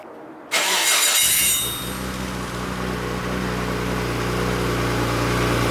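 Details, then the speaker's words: Built Nissan RB26 in an R32 GTR (fully ported/polished head, 260 Tomei cams), somewhat warmed up, original quiet exhaust: deep, slightly choppy loping idle after start; cam lope sounds rotary-like in person. Normal lumpy cam idle. "the cam isn't picked up that much but when I walk around the car you could hear people say it literally sounds like a rotary"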